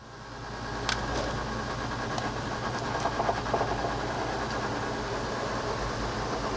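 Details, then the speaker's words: Coachmen Sportscoach 380MBS Class A diesel pusher on Freightliner XC, slide-out retracting after repair; smooth, steady motor drone with light clicks, no binding or straining; normal retraction. "I think that's about as that's as good as it's ever been I think basically it's performing normally now"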